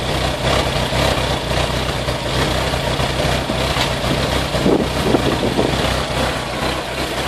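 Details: Vauxhall VX220 at steady idle with an irregular, stumbling beat rather than an even pulse, a misfire; cause not pinned down.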